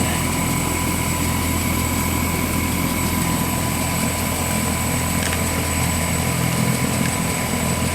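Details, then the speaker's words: Bryant heat pump failing again less than a month after a repair. High-stage contactor energized manually; the low stage does nothing. Loud, rough, steady drone with an uneven throb. Abnormal compressor running, cause unknown. "The compressor definitely didn't sound good."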